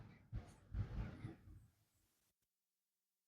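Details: Ahuja 75 W amplifier with no-sound fault, transformer winding tested with meter: quiet, then sudden steady high beep; winding shows continuity.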